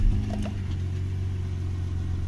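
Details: Toyota 1JZ-GE idling with the drive belt removed: smooth, low, even idle with no squeak or crackle, so the noise lives in the belt-driven pulleys.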